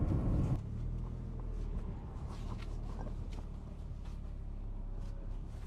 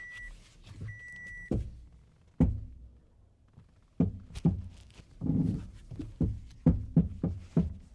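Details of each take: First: 2007 Toyota Corolla on E85 after front-end repair (CV axle refitted, engine mount tightened) road test: quiet low rumble, no pops or clunks; front end tight, fixed. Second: 2007 Toyota Corolla lifted, front wheel worked by hand, with side-to-side play and none top to bottom: irregular heavy clunks and knocks in bursts point to a loose front-end joint; the cause is suspected, not confirmed, and clunking dated from purchase.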